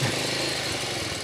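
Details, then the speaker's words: Yamaha Jupiter Z farm bike, ignition loss traced to a pulser error, still using the key ignition. After the repair it idles with an even, slightly coarse single-cylinder putter, regular with no misses: normal idle. "Ini kontaknya masih pakai kontak ya walaupun motor sawahudah bisa hidup normal ya dan juga responsif Mantap ya untuk motor sawah kayak"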